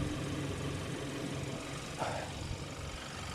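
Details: 2014 Hyundai Santa Fe, 2.0 turbo, 4x4, idling under an open hood during a pre-purchase inspection: a quiet, even low hum with no knocks or rattles and a dry engine bay. It idles fine.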